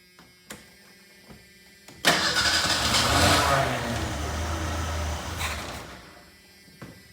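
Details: 1988 Ford Ranger after motor replacement, two gallons of fuel in the tank and the fuel line filled: quiet, then a sudden loud crank-and-catch that roars for about three seconds before fading out. Start attempt; unclear if it keeps running.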